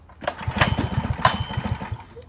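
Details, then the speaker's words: Go-kart engine after the wrongly installed carburetor gaskets were fixed: pulls up quickly with quick, even pulses, then eases off, firing cleanly; normal running. "she's already purring all here bring hey she's [Music] scooting"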